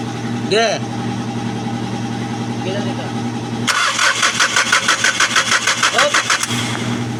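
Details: Hyundai D4CB diesel with an injector fault: a brief engine note, then steady rhythmic cranking of about three beats per second that never catches, a crank-no-start.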